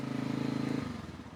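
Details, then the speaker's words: 1985 Suzuki quadrunner ATV, new chain tensioner parts, started after a hard no-start by pumping the choke while cranking and giving full gas: quick even single-cylinder firing pulses, steady then easing off; running after hard start. "Mashed the choke in and miraculously started."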